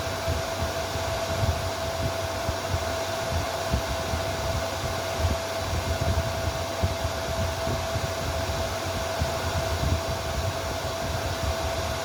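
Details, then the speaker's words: Chinese inverter welder labelled 'made in Germany' (board dated 2019): steady fan rush and faint whine with no relay click, so it can't weld; the PTC thermistor heats; a fault in the Zener-driven 24 V relay circuit is suspected. "Machine is turned on, but can't weld because relay doesn't turn on."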